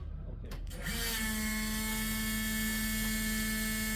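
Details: Jan's Stewart Mustang replica warbird, 540 big-block engine, in flight attitude so fuel reaches the engine, before prop installation: smooth, steady drone with no misses or knocks and no leaks; runs pretty good, timing adjustments possibly needed.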